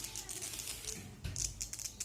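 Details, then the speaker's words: Jio F220 phone speaker playing music sounds thin, hissy and rattly with no bass. Two speakers, including a new one, sound the same, so the fault lies beyond the speaker: distorted speaker output. "तो देखिए किस तरह से आवाज़ म्यूजिक चल रही है दोस्तों,"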